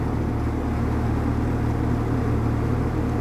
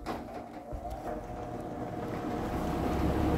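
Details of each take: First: Vintage Sears Homart Cooler belt-drive window fan with 1/6 HP Craftsman motor, dusty and likely needing a new belt, running on high speed: smooth steady low hum with no rattle, scrape or wobble; runs smoother on high than low, normal. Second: Vintage Sears Homart Cooler belt-drive window fan, 1/6 HP Craftsman motor, single porous bronze bearing oiled with 30 weight, started on high: hum builds over about three seconds then steady drone; slow start-up, owner guesses a centrifugal switch, unsure.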